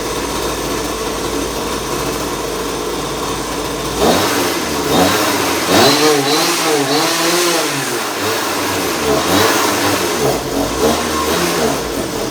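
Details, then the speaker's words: RC go-kart small engine after fitting new 35 kg throttle servo, warming up: revs but pitch sags and stumbles under throttle; bogging, owner suspects carburetor or fuel. "The only thing I gotta do is I gotta check what's going on with that carburetor. Sounds like it's bogging. Could be the gas."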